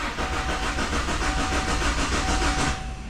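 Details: 2002 Kia Sportage, non-running after sitting with top off, new battery: starter cranks about three and a half turns a second for under three seconds, never catches; owner suspects cam or crank sensor affecting spark and fuel, unconfirmed; crank no start.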